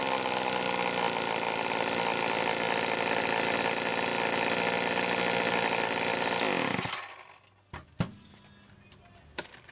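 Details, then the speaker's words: 1974 Homelite XL-2 vintage chainsaw after repair: the condenser/ignition assembly was replaced to restore spark, plus duckbill valves and hoses. It makes a strong, steady high-pitched two-stroke buzz at even speed, then shuts off, running clean and healthy. "brought some spark back to it and it runs pretty good i'll go ahead and fired up here"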